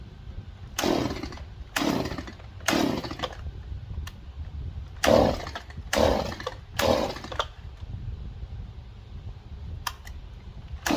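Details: Stihl MS 180 chainsaw after carburetor replacement and fresh fuel: crisp throttle blips about once a second that climb quickly to full revs and drop back to idle; normal running.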